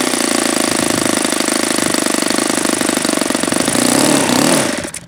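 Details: Saito FA-72 four-stroke glow engine on first run, APC 12x7 prop: fast even popping at high throttle, then beat sags and wavers on throttling back before cutting out; owner judges low-end too lean, then opens up the throttle arm setting slightly.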